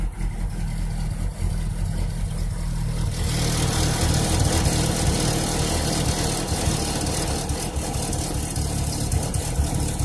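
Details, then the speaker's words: Chevrolet Cavalier cold start, coolant 77°, open loop, no stored codes: a low, uneven idle stumbling and shaking irregularly, running very rich with an odd smell. The owner suspects cylinder 4 is not firing; a misfire, cause unconfirmed. "it's very rich at idle which is probably due to number one cylinder off and outer space and not firing"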